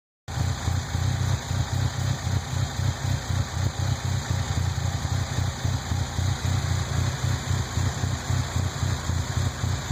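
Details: Rough idle on a 1998 Nissan Frontier: uneven, loping idle with a low chug that keeps stumbling at about four pulses per second and is not steady; cause unclear.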